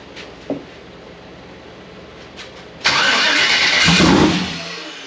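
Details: Freshly rebuilt Gen 4 aluminum V8 swap (58x conversion), first fire attempt on low battery: harsh crank burst about a second and a half, fades without catching; no rpm signal on dash, 60 psi oil pressure; no-start.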